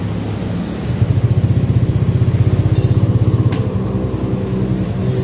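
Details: Honda Beat FI scooter on its center stand, hesitating up to 40 km/h. The idle throbs unevenly; fuel pump pressure reads a normal 45 psi. TPS sensor and fuel pump filter replacement are being considered. Rough idle, cause not yet found.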